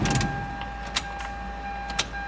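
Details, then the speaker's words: Toyota 2ZZ turbo (Celica/MR2) after installing an MWR billet aluminum high-flow fuel rail: quiet steady high hum with small clicks as the key is cycled three times, the fuel pump pressurizing the rail; no leaks found. "2, and I can hear it pressurized, and then 3."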